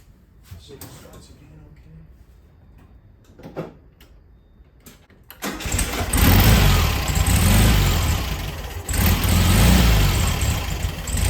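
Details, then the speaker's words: 1973 VW Beetle after fitting an oil breather filter and a new clean carb: cranks and catches, then idle surges and stumbles unevenly; carburettor still needs adjusting. "it's running not very good need some adjustments"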